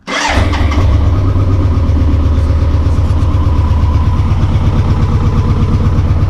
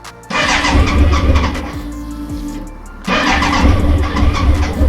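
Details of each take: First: BMW K100 motorcycle, first start after 22 years in storage (since 1998), fresh petrol, choke used: cranks briefly, catches and revs, settles into steady even idle with no misses or mechanical noise; normal start and idle. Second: BMW K100 motorcycle, first start attempt after storage since 1998: two long cranking bursts with steady chugging beat that never catches; cranks but won't start yet.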